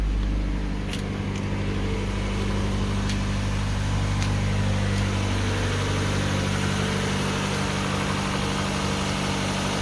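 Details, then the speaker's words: 1996 Mazda Miata 1.8 on cold start: steady, even high idle with a constant low rumble and no stumbles or ticks over ten seconds, no blowback; healthy, stable cold idle. "and it's as you can see it's idling high tipping it's a cold start but it's huddling very stable nice and"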